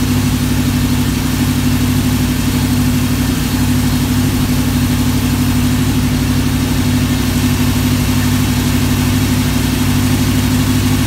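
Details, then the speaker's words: V8 on a run stand with block hugger headers and Flowmaster 60 series test mufflers: steady, even idle with a deep, smooth, moderately quiet rumble and no knocks or misses; a normal exhaust note. "well I like that sound I like the other sound the sound of the bigger ones a little better but that's okay that I'll I'll accept that one it's not loud"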